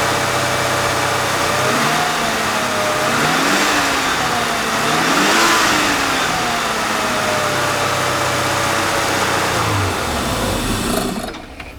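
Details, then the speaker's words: 1996 C4 Corvette Grand Sport: once started, the engine runs perfectly smooth, revving and settling evenly with no misses or knocks. It had a long-crank problem, with fuel pressure dropping to 0 psi after shutoff; a fuel pump fault is suspected, not an injector. "So I'll have Mrs. Wizard start the engine up and we can listen to it run. You can hear that it runs perfect."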